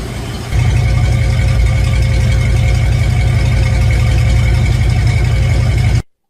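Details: Chevy after a remote solenoid fix for a starter that wouldn't stop cranking, battery a bit flat: brief crank, then a steady, even low drone with no starter grind hanging on; engine idles smoothly, fix called a success.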